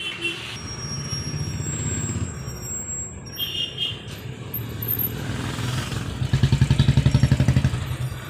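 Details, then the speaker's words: Old Royal Enfield Bullet 350 AVL-engine motorcycle, rear wheel turned by hand: rhythmic low scraping about four times a second from the rear, and braking is weak at speed. "कि मैं इसमें bike में पीछे से एक sound आती है John tyre को कम आते हैं तो टायर को घूमते एक साउंड आती है"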